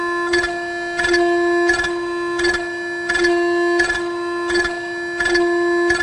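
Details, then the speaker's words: Yaskawa Sigma-5 rotary servo after only the tuning-less function, no notch filters yet, executing a program jog: steady tonal hum with a pulse about every three-quarters of a second as the motor moves; untuned servo oscillation. "Servo on. You can hear the servo went on. And execute. There's some oscillation at this point."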